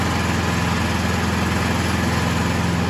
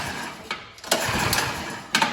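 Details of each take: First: Troy-Bilt 2665 snow blower (model 31AM6CP3723) after a carburetor rebuild, water found in the old fuel, choke off at half throttle: the small engine holds a steady, buzzy idle, rising slightly near the end with no stumbling, running evenly. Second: Troy-Bilt snow blower (model 31AM6CP3723), suspected water in the fuel, throttle at half: quick pull-cord yanks give brief sputtering catches that die at once; a failed start.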